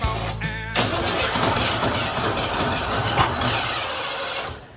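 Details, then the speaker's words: 1988 Ford F150 XLT Lariat 2WD after replacing a gelled, rusted fuel tank: starter whirs, then uneven cranking churn that never catches; cranks but won't start, owner suspects no fuel reaching the fuel rail, possibly a gunked pressure regulator. "I think I know that the issue is I'm not getting any fuel through this fuel rail."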